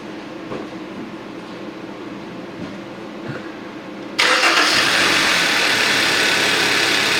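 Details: 2013 Hyundai Sonata with Theta 2 engine, started after spark plug replacement: quiet, then the engine catches at about four seconds and holds a steady, even idle with no misfire or stumble; healthy.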